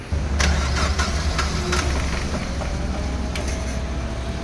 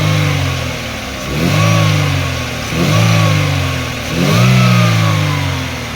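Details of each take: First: Chevrolet Aveo manual with hard start and low power; after cranking it catches into a lumpy, heavily vibrating idle with uneven low thuds: misfire. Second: Chevrolet Aveo manual with previous hard start, low power, misfire and heavy vibration, after repair: revs rise and fall smoothly with no stumble, miss or shake, vibration gone.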